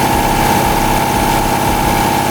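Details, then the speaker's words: Lexus IS200 with swapped 1UZ V8 on ECU Master ECU, just after first start, ignition timing still to be set (33 degrees), coils temporarily rigged, exhaust manifold leak suspected: loud busy idle, thin steady tone, uneven low pulse; rough idle. "33 degrés. Il y a 33 degrés à ajuster. Voilà. Il y a 33 degrés d'allumage à régler."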